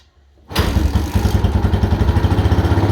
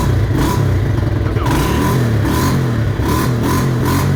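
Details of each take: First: Yamaha Mojave 250 single-cylinder first start after timing chain replacement, fresh oil, with choke: fires straight up and settles into even steady thump with no rattle; possibly over-choked, timing doubt raised but runs okay. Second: Mojave 250 single-cylinder, first start after timing chain replacement, fresh oil: revs rise unevenly and hang back when throttle opens, stumbling before picking up; owner wonders if timing is off.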